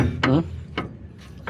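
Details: Steering linkage part being rocked by hand: three sharp metallic clunks with quiet gaps between, showing worn, excessive play that causes a strong clunk and wiggle in the steering wheel. The part is to be removed.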